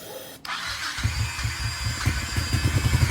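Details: Honda Shadow Sabre 1100, low on oil, sprayed with starting fluid/carb cleaner: a sharp catch, then uneven chuffing settling into a quicker regular beat; runs briefly on spray with no fuel feeding it.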